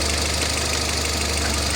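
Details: Citroën petrol engine after coil replacement and injector testing: idles smoothly with a steady low hum, no missing or knocking beats; normal smooth idle.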